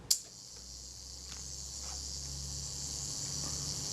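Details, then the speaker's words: Kodak Retina Reflex III shutter after servicing, set to 1/8 s and fired via the self-timer: a click, then an even high buzz as the self-timer runs down smoothly for about four seconds before the shutter opens and closes; normal self-timer run-down. "running down smoothly and there's our shutter opens and closes"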